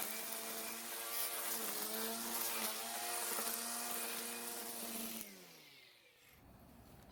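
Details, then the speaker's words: Greenworks battery electric trimmer with newly installed universal trimmer head: high electric whine with fast buzzy slap, winding down; line seems too long and hitting the plastic guard, though it sits in a different plane than the cutter. "now as you can hear it would seem that the line is too long and hitting the plastic guard"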